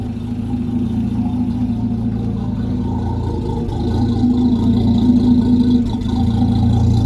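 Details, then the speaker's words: Land Rover Series 3 109 2.6 petrol, tune-up, started first time: low, steady idle, even exhaust note, no knocks or misses; revs a bit low, oil pressure building well. Dwell angle reading still suspect. Normal healthy idle. "that's it starting first time and that's exactly what i wanted right guys hear that the revs are a bit low but the oil pressure is building up"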